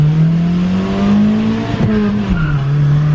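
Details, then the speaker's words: 2001 Honda Civic (7th gen) driving at about 40 mph, a car that burns and smokes oil: a high squeal rises over steady road and engine drone, then fades, seeming to come from the front, source unclear; squeak while driving. "Oh! She squeaked! Yeesh."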